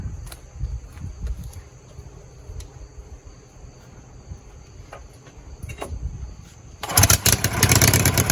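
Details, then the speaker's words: Husqvarna walk-behind mower before repair, heard on a phone mic: fires up with a sudden harsh, raspy roar, far too loud. "also just kind of Qui things down because uh that bad boy is nasty loud I'll fire it up for a second for you so you can hear it probably distort the mic on the phone but we'll see"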